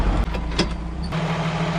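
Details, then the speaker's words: Jeep CJ7 258 4.2L six on a new budget OEM-replacement carburetor replacing a Weber, fully warmed up. Steady, even idle with no knocks, a hair too fast and smelling a little rich; high idle speed. "sounds like the idol's a hair high has warmed up now totally smells a little rich"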